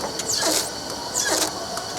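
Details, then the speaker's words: Pace Converting 16-inch Pacer with gap separation and ratio station: a sharp squeak rises and falls about once a second over the machine hum. With a low ratio creating a large gap, label parts ride on two liners at once and squeak. "how long your parts can be because they are going to be on two liners at the same time as you can hear it squeaking"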